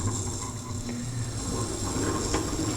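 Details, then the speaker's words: Tormek T-8 wet grinder, chisel in square edge jig on grindstone graded from 220 to finer 1000 grit: soft, steady hiss of steel on wet fine stone, quieter than coarse, no chatter; normal fine-grit grinding. "now you can immediately hear a difference in the grinding sounds uh it's much quieter here using that finer grit still using the whole Stone all the way back and forth"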